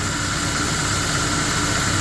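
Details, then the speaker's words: GMC Sonoma pickup idling after the noise was traced to the belt tensioner pulley, not the water pump: steady, even idle with no squeal, chirp or rattle from the belt drive, sounding like new. "that's why it wasn't overheating I'm like no I said but I've never really ran it since since I started hearing the noise I driven it came home and um I've never really driven the other ways you can always started to happen all of a sudden it sounds like brand new with 209 34 dollar part"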